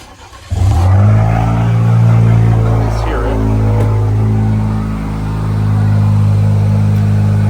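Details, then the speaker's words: Chevy Silverado 2.7L TurboMax with S&B intake, downpipe and straight-pipe exhaust under the truck: quick start settling into a steady deep exhaust drone, even pulses, no misses or knocks, intake barely audible; healthy cold start and idle. "Again, you can hear mostly exhaust. Like, you can't really hear a lot of the intake. You hear more of the exhaust noises coming from the truck, but that's just because I have that straight pipe exhaust system that's underneath the truck."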